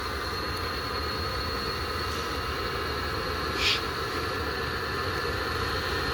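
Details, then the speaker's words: Webasto fuel-burning parking heater on an Audi A8 after a sensor fix, stepping up from part to full throttle; a steady, even blower and burner roar with no misfire, running normally and heating the car. "So now let's hear it, the Webasto work. It's in full throttle. It's a little bit noisy here, but you can hear it doing the job."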